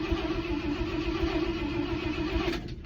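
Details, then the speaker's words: 1968 International Loadstar, 392 engine, mechanical fuel pump not working and replaced with a Holley inline pump: steady starter churn with no firing. Later put down to a possibly stuck carburetor float. Cranks but won't start, fuel starvation. "Let's see what happens. Yeah. Brother. Doesn't sound like it's running."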